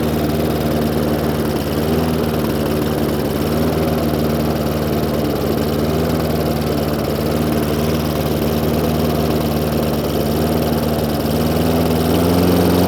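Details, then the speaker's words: Hayter Ranger 53 mower after manually bending the throttle/governor spring clip forward: steady, even hum at full revs with no hunting or surging; revs now where they should be. "so as you can see a little tiny adjustment on this little um throttle here now pushes those revs up to where they should be"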